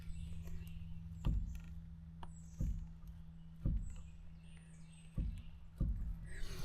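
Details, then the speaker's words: 2012 Aluma landscape trailer, Dexter axle hub, bearings not greased for years: five dull single clunks, about one a second, as the wheel is rocked by hand; free play in the wheel, owner suspects lack of bearing grease. "So I'm not sure if you can hear that, but there's a little bit of play in the wheel. So I'm thinking there's this lack of grease in the bearing."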